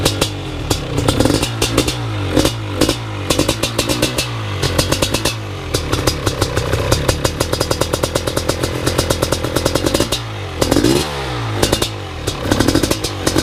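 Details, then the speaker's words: BRC 500 single-cylinder engine kit in a 2015 Husky TE 250 frame, 40 mm billet Smart Carb with TPS and Power CDI, first startup by kickstart with decompression release; catches and blips up and down with crisp, even firing; healthy. "so we're gonna call that the fire up video and we're looking good"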